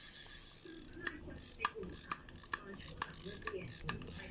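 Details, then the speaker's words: Daiwa Sprinter ST3000X spinning reel, handle turned: light, even ratcheting clicks, no grinding or catching; the reel spins smoothly, handle normal, drag still firm. "เสียงลอกนะครับแขนยังสวยครับแขนก็หมุนลื่นแขนได้ปกตินะครับ"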